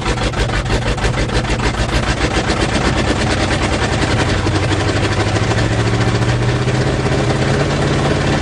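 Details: 1977 GMC 400 truck, carbureted, cold weather, after choke pull-off rod adjustment: deep, slightly uneven V8 rumble settling into a fast warm-up idle after cold start; normal.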